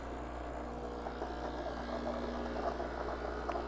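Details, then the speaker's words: Breville BES870XL Barista Express purging steam-temperature water from the thermocoil after steaming milk, so hot water is back to brewing temperature. Even pump drone with a faint watery rush and small ticks, holding steady; normal purge. "You hear it purging the thermocoil now of the steam temperature water, so that now you can go back to using hot water if you like."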